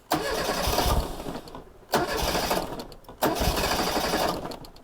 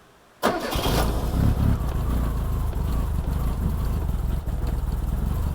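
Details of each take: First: 1987 Reliant Rialto barn find, restart after first runs: catches straight away and revs cleanly in three short bursts with no stumbling; starts beautifully. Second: 1987 Reliant Rialto barn find, first start on choke with fuel in tank: engine catches suddenly then runs a rough, uneven idle and dies; fires but doesn't settle.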